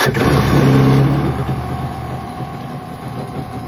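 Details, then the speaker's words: 1995 Yamaha Wave Venture after a no-start issue was fixed: it revs briefly, then drops to a steady low rumble without stumbling. Runs normally; the idle needs slight adjustment. "Gotta weld that frame, adjust the idle a little bit. She's good to go."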